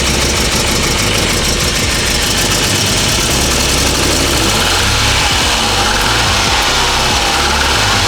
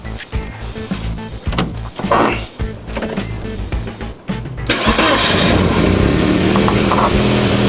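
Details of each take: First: Classic car with worn engine mounts, rough idle, after fuel system cleaner: loud uneven idle with a raspy puffing chuff in the exhaust note; exhaust leak, otherwise runs well, no longer sputters on throttle. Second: Classic car whose no-start came from loose wires cutting the fuel pump, now fixed: after background clatter it fires at once on the first try and settles into a strong, even run; starting healthily.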